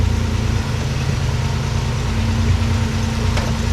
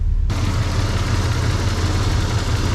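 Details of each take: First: 1994 Toyota 4Runner 3VZ V6 first run after major engine repair, run briefly without coolant. It has a steady, quiet, even idle with no knocks or misses. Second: 1994 Toyota 4Runner 3VZ V6 after major engine repair. It is hard to start, and the owner suspects it is losing fuel pressure. With the AC compressor running, the idle is rough and lumpy with stumbles.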